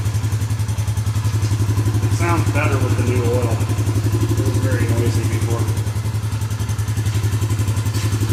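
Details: Suzuki Vinson 500 quad, hot, after new oil: a steady, even fast-idle thump at about four beats a second with no knocks or rattles. It is not smoking or leaking, running healthy.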